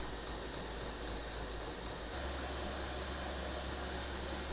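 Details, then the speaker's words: Diesel heater on a 12 V supply converted from a desktop computer ATX power supply, warming up after the glow plug cut out (about 40–60 W). Steady fan rush ramping to high with a fast pump tick; normal warm-up fan speed-up. "And you can probably hear the fan is ramping up to a higher speed."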